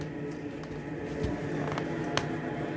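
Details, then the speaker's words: Hard-wired diesel heater in a cabin, freshly started after not being run for a while and powered from solar-charged batteries: steady low combustion-fan hum with occasional soft fuel-pump clicks, warm air from the vent; running normally. "so i've just fired up the diesel heater you can hear it clicking over there and that's pushing out nice warm air out of the vent inside the cabin"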